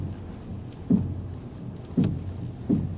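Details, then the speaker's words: GMC Envoy XUV at a salvage lot: three dull thumps about a second apart over a quiet low hum; owner suspects the springs popping on both sides, cause not confirmed. "listen oh my gosh that's the Springs you can feel the vibration from the Springs when they pop on both"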